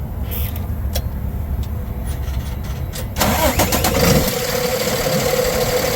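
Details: 2009 Freightliner M2 bucket/chipper truck, Cummins 6.7L turbo diesel, 24,000 documented miles, recently serviced: short crank, fires promptly, settles into an even steady idle with no knocks or misses; healthy start.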